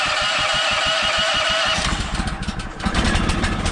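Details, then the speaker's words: Sawmill equipment cold-started in winter with fuel on and choke on, after sitting several days: cranking pulses about three a second, then it catches and runs slightly uneven while cold. Normal cold start; it needs warm-up. "Okay, that's a good sign. And you guys can hear it needs a bit of time to warm up."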